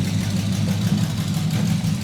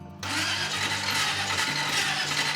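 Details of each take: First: Packard custom restoration, engine with exotic dual carburetors on first start-up, exhaust not fully installed: a deep, steady low rumble that lays right down to idle and purrs smooth, with no misses or ticks. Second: Packard custom restoration, first start of the engine with exotic dual carburetors: sluggish, labored, uneven cranking catches briefly and dies. The starter sounds funny and turns slowly; cause not confirmed, likely needs tuning.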